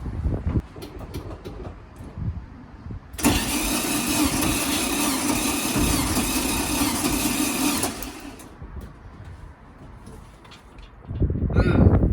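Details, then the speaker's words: 1972 VW Beetle 1200 flat-four, sat over two years, compression test on cylinder two, plugs out, throttle wide open; cranking with starter whirr; reading 80 versus expected about 110, low compression. "i make that 80 which is bad and they should be reading just above ideally on an engine like this i'd expect around 110 anything below 90 that's like engine rebuild"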